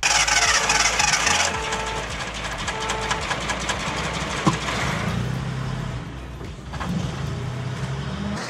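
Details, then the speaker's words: Datsun 280Z after clutch replacement and electrical troubles: engine runs rough with irregular pops and dips, then sags and nearly stalls; intermittently runs fine then loses all power and dies, typical of fuel starvation. "The problem is that it's literally shoting... Sometimes it runs ideal, and then it will loose all power and just die..."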